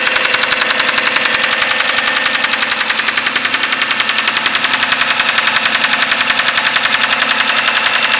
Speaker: Так, с трудом, но завелась. И слушаем. Стучала сразу. Очень сильно.